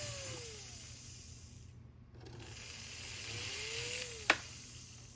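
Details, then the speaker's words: 1954 Lionel 6250 Seaboard switcher toy train locomotive: low motor hum with whining tones rising and falling with speed, running freely. E-unit still sticks and needs repair. "But we proved that the engine will run."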